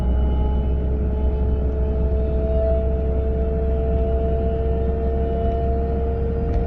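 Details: A 940 at a steady 30 to 40 mph: a constant mid-pitched droning hum sits above road rumble, a whine from the passenger side whose source is not yet found.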